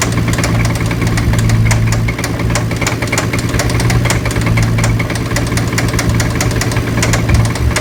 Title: 350z spun bearing